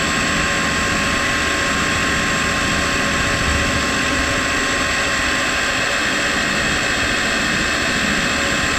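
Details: Ford 302 Cleveland V8 left sitting 20 years, oil pump being primed with a drill after water drained from it: steady high drill whine at an even pitch that loads up as thicker oil is pumped through; oil pump priming normally.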